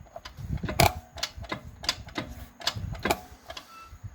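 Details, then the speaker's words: 4L60E automatic transmission on the bench, input shaft turned with pliers. Light uneven ticking with crisp clicks and no grinding: the one-way roller clutch freewheels and ratchets normally. "there it is there it is it spins pretty nice i give it that"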